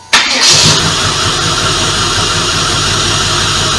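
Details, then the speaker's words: Stock 1996 Impala SS LT1 with headers, exhaust and a TorqHead conversion, coils failing one by one, idling: busy idle with an uneven, lumpy low pulse under the clatter and the engine visibly shaking; owner suspects a miss from fuel injectors or coils. "just so you know how it's been running you heard earlier but it sounds like there's a miss it could be fuel injectors coils or um either one"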